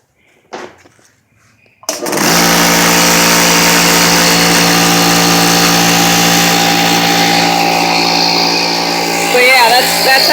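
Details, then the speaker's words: Harbor Freight air compressor after the capacitor wires were crimped tighter and fresh oil added: it kicks on cleanly and settles into a loud, steady, even drone with no stalling or hum. Motor and pump run normally. "you do that it's also a lot Pryor's the air filter you can't hear the air filter anymore I mean of course not quiet pretty loud still"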